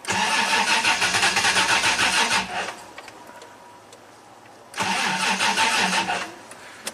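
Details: 1988 Toyota Land Cruiser EFI: two spells of steady starter cranking at about three beats a second, engine never catches; crank no-start.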